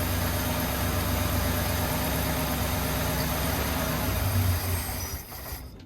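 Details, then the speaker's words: 1972 International 1210 pickup found abandoned, first start on fresh oil with fuel primed and leaking heavily: even steady V8 idle with a smooth low burble and no knocks or misses before shutoff; sounds healthy, normal idle. "Awesome, sounds good, but look at that, pumping fuel like nobody's business. Dude, she sounds good."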